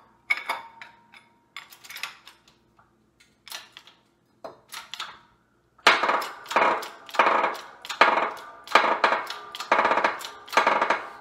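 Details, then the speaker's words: Single-crown suspension fork crown-steerer (CSU), stanchion being pressed out with a threaded die: repeated creaking squawks about one a second, growing louder; normal stick-slip, typical of an ideal ~0.1 mm interference fit. "you can hear that kind of stick slip sound, and that to me, from my measurements I've taken over the years, is usually characteristic of like an interference fit of around 0.1 millimeters, which I would say is a pretty ideal interference."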